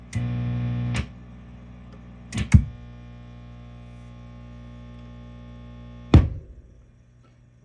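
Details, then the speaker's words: Mesa Boogie Triple Rectifier Solo amp head: steady 60 Hz hum that varies with the effects-loop send control and disappears on pulling V1, V3, V4 (likely loop return) or V5 (phase inverter), thunks from tube handling; source still untraced. "Listen to that in the background. That's what I'm dealing with. You can modulate the noise by the loop control for the send, or by pulling V2 over here. It just goes away."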